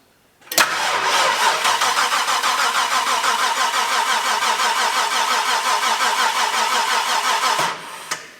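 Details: XB Falcon (Mad Max interceptor replica) that wasn't running, after fitting a third fuel pump with fuel now in the filter: starter turns engine over at an even three beats a second for about seven seconds and it never fires; cranking with no start.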